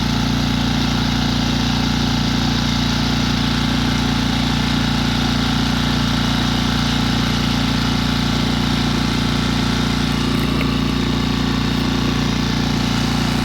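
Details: Tohatsu 6hp outboard bought new in spring 2020 with 19 hours, on a 1.5-ton Magnificent Midget sailboat, at half throttle making about five knots: a steady drone with a pronounced low hum and an even rhythmic beat; unusual running noise, origin unclear.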